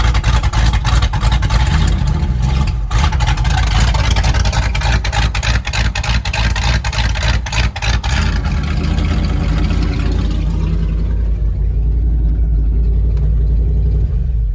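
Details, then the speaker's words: 1997 Ford F-250 revived after years sitting, straight pipes, oil pressure gauge reading none (owner hopes it's the gauge); deep, very loud open-pipe roar climbing and falling with throttle blips, lumpy cam-like note, revving cleanly: healthy revving. "God damn, that sounds good. You know, that sounded like it had an actual cam. That's awesome. Holy crap, it is loud though."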